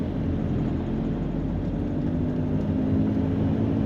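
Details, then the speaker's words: VW Caddy Mk4 maxi in for an outer CV joint, road test around the block, GoPro audio, firm suspension: steady road and engine rumble, no rhythmic clicking; CV joints quiet. "we just need to take it around the block and test we can't hear the noise"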